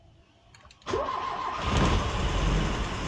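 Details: Peugeot 504 saloon hard start: brief clicks, then the engine catches abruptly and runs rough and uneven. Spark plugs and fuel pump already replaced without cure; carburetor or starter coil suspected, cause unconfirmed.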